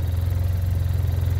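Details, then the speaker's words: Arctic Cat Norseman sled idling after the rattle fix with foam. A low, steady idle with some shake but no rattle or buzz means it is running normally. "a little bit still vibrating but it's not rattling I knew we'd never be able to stop that vibration"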